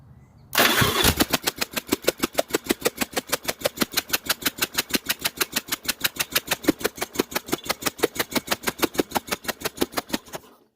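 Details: 1982 Yamaha Virago 1000cc V-twin fired up accidentally during a spark check with one plug removed and grounded, fuel in carburetor: sharp evenly spaced pops about three per second, engine running on one cylinder.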